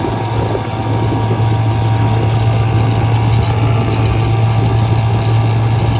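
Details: 1956 Johnson 7.5hp AD-10M outboard in gear under load on a 14-foot deep-V Sylvan boat, about 8–10 mph: steady, even low drone with no misses, surging or rattles; running cleanly, very quiet and reliable.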